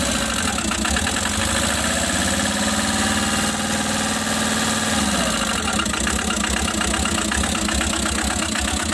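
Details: Tata Magic engine knocking at idle with a hard, rapid, steady metallic knock; also overheating and cut (damaged) head face noted, cause of the knock not confirmed.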